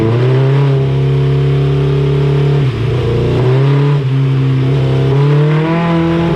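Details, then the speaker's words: 1987 Suzuki GSX-R 1100 four-cylinder on the dyno during carburetor servicing: a steady drone that dips and surges unevenly, gutless and misfiring under load; a spark plug change is planned, cause not confirmed. "Well, it's just gutless, is it? You can hear it. Yeah. It's misfiring."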